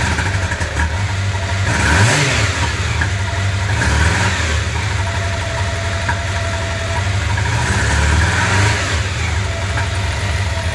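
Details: 1995 Honda CB750 Nighthawk revving: an uneven, lumpy beat and ragged exhaust note, a single-cylinder misfire with one of four cylinders dead. The cause is a clogged carburetor jet on cylinder #4.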